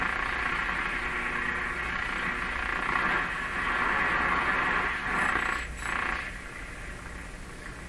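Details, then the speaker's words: RCA Victor A38 shortwave tube radio on the AM broadcast band after alignment attempt: loud steady hiss and buzzy hum, no station coming through; strong interference noise, source unknown. "that noise drives me nuts what that is"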